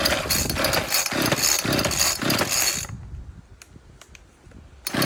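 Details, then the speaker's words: Ryobi RCS4246B chainsaw that idles fine but dies when revved: surges in uneven bursts then stops abruptly; too much fuel, spark plug glossy, flooding. "there's too much fuel when I rev it up because as you did see it was idling just fine until I revved it up and it stopped"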